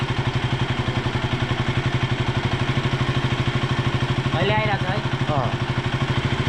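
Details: KTM Duke 200 BS4 single-cylinder idling with a steady, even pulse and no chain rattle or tapping; previously had a tak-tak tapping noise, now sounds healthy.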